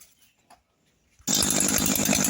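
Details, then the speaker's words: Size-160 brush cutter small two-stroke engine after repair: starts into a steady, high-revving buzz with no rattles, strange noise gone after parts that had been installed backwards, against their direction arrows, were refitted correctly. "rapaziada acabei de terminar de arrumar ela é isso daí mano tava feio velho tava em virada as pecinhas tava virada ao contrário coloquei certinho aqui agora Zerou Zerou"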